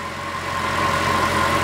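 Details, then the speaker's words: Mercedes W212 E63 AMG M156 V8 idling smoothly after throttle body plate replacement, injector cleaning and intake manifold leak repair; previously ran very rough, now an even, quiet purr with steady hum, no stumbling or hiss: normal idle. "wow she is she is purring listen to that thing purr how smooth is that idle right now pretty smooth"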